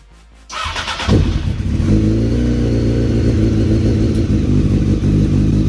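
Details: Honda CBR900 streetfighter after clutch replacement, oil leak repair, fresh oil and clutch cable adjustment: fires after a short crank, settles into a strong even beat with clean rev rises; healthy, no knocks or misfires.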